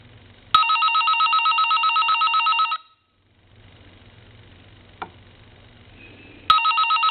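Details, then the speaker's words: Vintage Siemens Milano Italian wall telephone, before repair, hook switch held down, ringing with its add-on electronic ringer shorted to high: shrill, buzzy electronic warble in about two-second bursts, harsh and thin rather than a bell. "okay and as you can see um that just didn't do the telephone any justice whatsoever"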